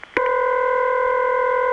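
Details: Early-1980s Bell System call: one steady buzzy ring burst of almost two seconds with a slightly off character. Imposter ringback from a replacement ringing machine, not the original.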